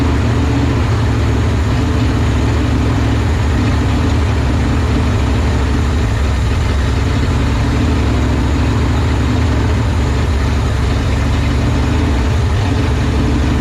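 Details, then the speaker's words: 1970 Ford F-250 V8 pulled from a field, first start with a fuel pump: deep uneven idle that lopes and sags, sounding starved, then allowed to die; owner suspects the Ford 2100 carburetor needs a rebuild, timing not yet checked. "boy doesn't like that does it probably need to rebuild this carb all right we're going to let die"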